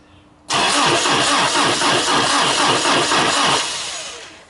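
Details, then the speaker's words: Toyota Hilux 22R turbo after timing chain tensioner failure skipped chain teeth, timing chain replaced: starter cranks about three seconds with strong even pulses, about three a second; compression good, not yet started. "sounds pretty damn good to me which means the Hilux is gonna live to see another day which I'm super stoked about"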